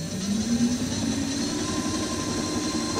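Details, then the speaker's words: DIY dual 350 W hub-motor electric scooter, dual display and battery, rear at 35.1 V in mode three, motors run separately: smooth electric whine climbing steadily in pitch as they spin up, no grinding or clicking. Normal hub motor run. "so you can hear them both of them are working at the same time not in paral not in parallel uh separate both displays are working"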